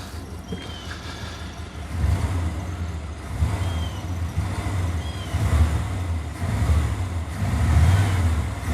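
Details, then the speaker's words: 1993 Chevy 1500 OBS V8 started after sitting 16 years, new battery: deep smooth rumble swelling with throttle blips, no stumbles or misses, smoking from added oil, no leaks; normal revving. "Power in sounds good. It's smoking from all that mystery oil that I put in it."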